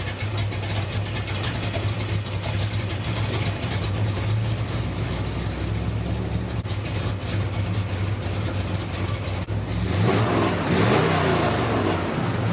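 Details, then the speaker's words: 1974 Corvette V8 after the ignition timing was reset and the engine warmed up: a steady, deep, even burble with no knocks or misses. Healthy warm idle; earlier it sputtered at full throttle when the secondaries opened. "it seems to be running really really good right now"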